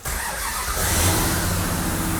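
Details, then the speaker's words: Hellcat 707 hp crate V8 newly installed in a Superbird, first start in neutral with no throttle: fires on first crank and settles into a deep, even idle with no misses or knocks; normal start and idle. "boy that thing sounds good it does sound good huh"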